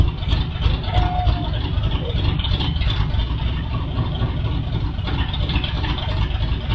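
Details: First start of a new 6.2L L86 LT Gen V V8 (BTR 225 cam, AFM delete, LT2 intake, Holley Terminator X, E85 capable) with open headers dumping to the floor, no exhaust or O2 sensor yet; loud, deep, steady rumble, not as loud as expected, running smoothly.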